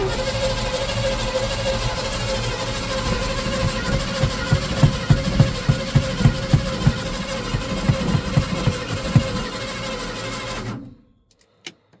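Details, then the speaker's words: 1971 Ford F-100 after years sitting, hot battery and fuel in the carb: steady, even starter cranking about three pulses per second that never catches. Spins freely but no spark because the ignition coil was wired backwards. "Alright, well, it spins over freely, but no fire with the fuel down the car. So something's going on."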